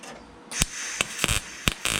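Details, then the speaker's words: MIG tack welding on a Nissan 240SX fender side marker hole after turning shielding gas back on: short bursts of steady, even crackle with clean stops; stable, good arc. "That's what I want to hear."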